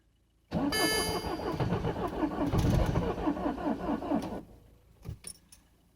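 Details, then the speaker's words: Citroen C5 diesel on a very cold winter day, dead battery being jump-started, glow plugs working, no immobilizer fault: starter cranks steadily about four seconds without firing; ECU suspected short of power, not confirmed. "Now I think the ECU is fooling around because it's not enough energy."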